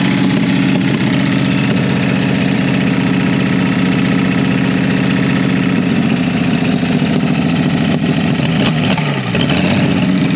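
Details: Revived Chevy inline six (230 or 250, uncertain) with formerly stuck valves, number one cylinder low on compression: loud, uneven idle with lumpy beats and a surge near the end; rough idle, and the engine floats the valves.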